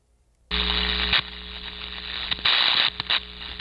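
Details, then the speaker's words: Ultrasound recording at a known failure point on electrical equipment: sharp crackling bursts with harsh high hiss cutting in and out over steady hum, tonally distinct from the frequency noise; electrical arcing. "now if i play arcing on top of this which we know this is where it's failing"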